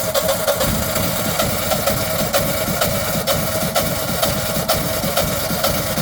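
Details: Generac generator that ran 24 hours then stopped, showing an unable-to-crank error; oil, filter, oil pressure sensor, air filter, battery and spark plug recently replaced: engine turns over with a loose, uneven beat, about two pulses a second, never catching; cranks but won't start.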